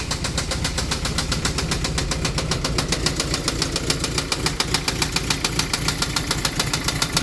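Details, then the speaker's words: Toyota MR2, knock started on the highway: loud, sharp metallic knocking about three or four hits a second over the idle; bad bottom-end knock suspected, oil not low but dirty; engine to be replaced. "knock who's there my MR2 oh my gosh it sounds so bad I checked it it's not low on oil the oil was dirty but not too bad"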